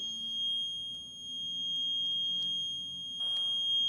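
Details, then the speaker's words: 1973 Yamaha RD250 or 1974 Kawasaki F7-175 vintage two-stroke in neutral, running on a jump box; steady unbroken high-pitched beep over quiet background, the oil valve switch warning that the oil valve is off. "that beep is crazy I apologize I got to figure out what that that beep is"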